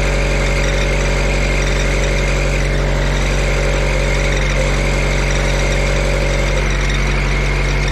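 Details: Auction-bought diesel welder that fell from a crane, idling after isolator mounts were shimmed and tightened: constant high squeal over the steady idle; drive belt is quite loose and worn, slipping, to be tightened.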